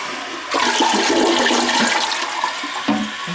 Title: OLD LADY COMPLAINING OF A PERFECTLY FLUSHING TOILET